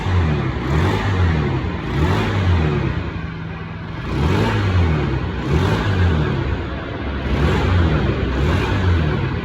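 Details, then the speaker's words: Honda Scoopy carburetor scooter after cam gear timing mark realigned to the T mark and original carburetor refitted: engine revs up cleanly in quick even blips and drops back, no misses or knocks, RPM responsive again; normal revving after repair. "Motor pun sudah lancar kembali RPM-nya. Sekarang sudah galak RPM-nya, Guys."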